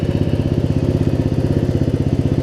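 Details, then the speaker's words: Murray Select 42-inch 16.5 hp riding mower after gas tank install, idling down before shutoff: low idle with even putt about thirteen beats a second, no skips or misfires; normal idle. "It's not because the engine's running poorly. I mean, you can hear the engine's not even skipping a beat, even at low RPM."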